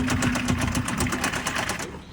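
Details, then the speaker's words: 2012 Kia Rio at auction, started with a jump: quick, even, very loud knocking of about eight raps a second over the running engine, stopping at shutoff; loud engine knock. "Very loud knocking engine on this one, folks."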